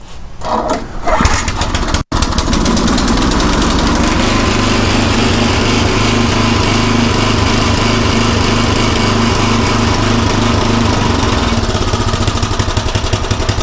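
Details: Craftsman rototiller engine with a new carburetor, run at full throttle: catches after a brief pull and settles into a loud, steady high-speed drone, running evenly without stumbling.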